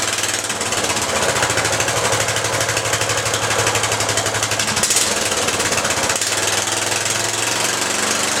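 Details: Riding lawn mower small engine after rewiring key ignition switch: fast, even clatter of about four beats a second at steady speed, sounding healthy. Normal running.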